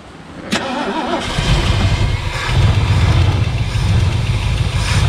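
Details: 1975 Ford LTD Landau with a 460 big-block V8, pulled from a field after sitting, with gas poured into the carburetor bowl: a couple of seconds of cranking, then it catches and builds to a deep, steady rumble and keeps running.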